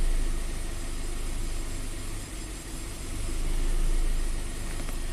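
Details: 2015 Scion FR-S (Subaru BRZ), 2.0 L direct-injected boxer, P000A and low power; during the bank 1 intake cam actuation test, the idle swells and sags every couple of seconds, swinging between 10 and 30 degrees against a 23 target. A faulty oil control valve is suspected.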